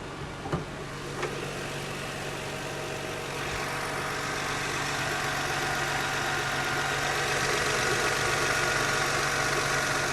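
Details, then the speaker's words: One-owner used luxury SUV, engine otherwise very quiet at idle: a light, regular tick about four times a second, which the owner attributes to the valves. The last valve adjustment is unknown, and the owner plans to adjust them with the spark plugs. "can hear the valves ticking away in there. I don't know when the last time valves were adjusted, but it's probably something I can do when I do the spark plugs."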